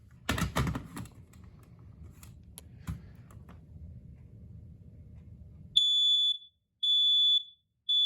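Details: Smoke alarm model SA304 with escape light, test; after handling clatter, a loud piercing high beep in three long pulses about once a second, working alarm test.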